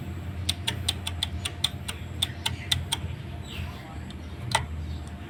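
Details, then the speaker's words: Honda Scoopy-i scooter run with dried-out engine oil, noisy at idle: light, sharp ticking a few times a second over a soft idle hum; suspected slack cam chain from a cam chain tensioner not pushing; cam chain rattle. "สาเหตุที่ดังก็น่าจะเป็นโซ่หย่อนนะครับคือลูกปืนก็ไม่รู้นะครับลูกปืนก็ไม่แตกนะครับ"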